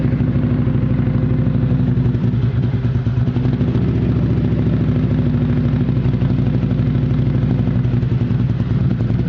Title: Outlander rough idle at cold start